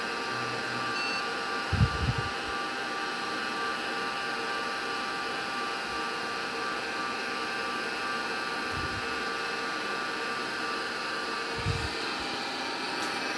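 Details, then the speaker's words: 40-year-old MiniScribe hard drive in an IBM 5161 expansion unit while the IBM PC 5150 boots from it: steady loud whirring hum with fixed high tones and dull thumps; works but runs much noisier than normal. "I do apologize for the noisy sound but I can only blame it on the miniscribe hard drive which is still winging about having been woken up from retirement"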